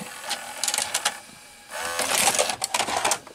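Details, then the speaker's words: RCA VR335 VCR after cleaning the mode switch; short bursts of motor whirr between crisp mechanism clicks, no grinding or dragging; rewind noise gone, auto stop works; normal tape mechanism operation. "it mechanism work works perfectly so that's great"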